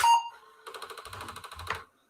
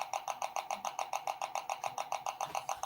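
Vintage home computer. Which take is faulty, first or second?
second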